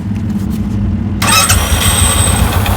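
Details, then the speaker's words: Royal Enfield Bullet 350 after replacing the damaged self-starter one-way bearing: brief electric crank, then the single catches promptly and settles into a steady thumping idle; the starter engages cleanly; normal starting. "Start হৈছে, ছাকচেছ।"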